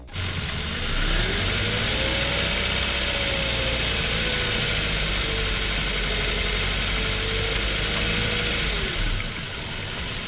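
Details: Chevrolet Beat/Spark with swapped-in Chinese B12D1 1.2L petrol engine, thermostat replaced, warmed until thermostat opened, coolant bled: steady, even idle with no ticking or knocking; healthy and smooth.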